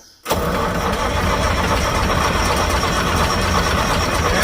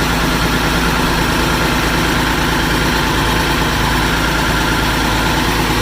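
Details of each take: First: Massey Ferguson 550 diesel tractor, first start since 2019, bleeding injector lines: long steady cranking with starter churning evenly, no firing; cranks but won't start with air still in the lines. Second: Massey Ferguson 550 diesel tractor, first start since 2019, after bleeding fuel to all five injectors and using a shot of ether at the air cleaner: even, deep idle with no misses, knocks or hunting; it runs healthy.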